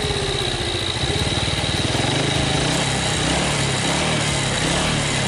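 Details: 2006 Yamaha Vega R new motorcycle after engine teardown and parts replacement for a harsh, rough-sounding engine: quick, even putter picking up slightly and holding steady, no harshness or rattles; running smoothly.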